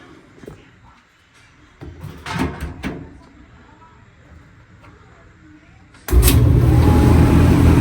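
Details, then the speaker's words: Whirlpool dryer that made noise while running, heard after a part found touching the drum was bent away; rollers, blade and belt were checked and are good. It now runs with an even, smooth low rumble and no scraping, the drum turning freely: normal running. "And now, it stopped making noise. Okay, that's it."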